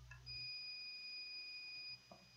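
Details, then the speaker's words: Sapphire Nitro Radeon RX570 8GB graphics card repair: multimeter gives a steady high continuity beep under two seconds across a fuse, showing a dead short to ground, so the fuse is no longer working. "hope you can hear my multimeter speeding making noise i mean there are shorts straight to ground by the other side"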